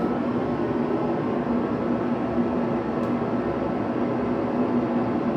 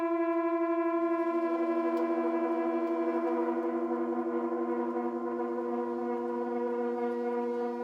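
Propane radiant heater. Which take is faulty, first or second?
second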